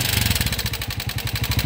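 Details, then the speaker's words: TMX 125 Alpha motorcycle engine revved then idling with harsh metallic clatter over every firing pulse; severe internal wear, suspected run low on oil and now burning oil. "Ayan mga kaabo napakaingay ng makina ni Bossing boss Nat tuyuan ba ng langis to o hindi baga natuyuan na rin siguro Ayun kumakain na ng langis"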